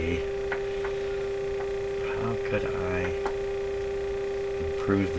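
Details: Crosley Mohawk Model 14B tube radio, volume-control output capacitor (0.25) substituted via substitution box, 400/1000 Hz test tone: steady mid-pitch tone with low hum beneath; audio-stage hum, cause unconfirmed.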